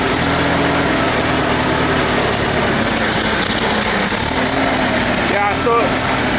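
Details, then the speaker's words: International Harvester 354 tractor running badly, spitting and sputtering, runs fine for a minute then stumbles; rough uneven idle; misfire first suspected as carburetor, actually worn ignition points and condenser, fixed by replacing both. "there you can hear it spitting and sputtering. It kind of will run good for a minute and then it'll start doing this."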